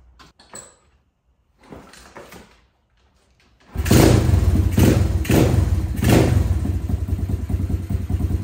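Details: SSR125 single-cylinder pit bike, crash-damaged and rebuilt, first start after repair: compression now restored, settles into an even putter with throttle blips, no knocking. Slightly smoky (owner suspects valve seals or leftover oil in head); not idling quite right, needs bigger pilot jet. Normal idle.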